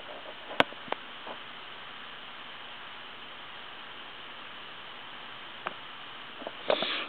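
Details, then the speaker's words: Wood wall telephone on the receive side after dial tone and dialing: steady, thin rushing hiss like wind on an open mic, with occasional clicks; hiss on the line, receiver itself ruled out. "but what it sounds like is an open mic on like a windy day and it's not real super prominent but it's enough to where it just would bug you to death"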